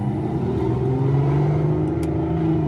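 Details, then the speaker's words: Aston Martin DB9 after V12 engine swap, first road drive, shifting in manual mode through first to fourth gear: clean, smooth rising V12 pull with no misfire or knock; shifts fine and sounds good. "so we're good all the way through fourth gear shifting through all the gears no problem and uh yeah yeah it's sounding good sounding real good"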